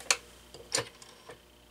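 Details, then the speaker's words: Stromberg 500 rotary desk phone, initial checkout: few sharp widely spaced dial clicks, digit 1 won't register though it sounds like dialing; hook-switch tapping works. Cause not yet found. "For whatever reason, it won't do 1. So it won't dial out 1 initially, which I don't understand that. Yeah, 1 is not working."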